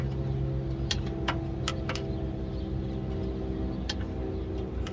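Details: 305 small-block Chevy V8 with TH350 at idle: sharp, uneven ticks over a low, steady rumble. Torque converter failure or cracked flexplate suspected, not confirmed.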